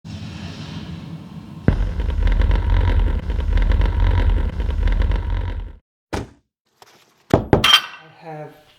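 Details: Bowers & Wilkins subwoofer bought in 1999 rattles whenever explosions, rumble, thunder or other low frequencies play: a buzzy rattle rides over the deep bass rumble for as long as the low notes last, typical of a loose part inside.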